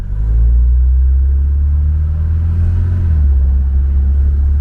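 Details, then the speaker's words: Mercedes 240D diesel, previously clanking and smoking, after fuel injector repair and valve lash adjustment; pulling away from a stop with a deep, even drone, no clanking or smoke. Normal acceleration. "yeah this sounds really really nice now there's no clanking whatsoever there's not not not any smoke coming out in the end it just it just great"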